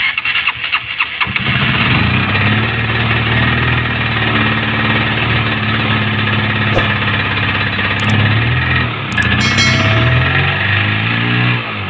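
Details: Honda CBR 150R single-cylinder bike runs only while throttle is held, revs rising and sagging unevenly and hunting, dying when throttle closed; weak ignition spark traced to a faulty ECU causing stalling and sputtering.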